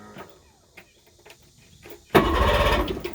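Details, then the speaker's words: Engine with starter, solenoid and ignition switch already replaced, kill switch disconnected: a few weak sluggish cranking turns, then it suddenly catches and runs roughly; slow hard crank, cause unknown. "Eventually, this will turn over."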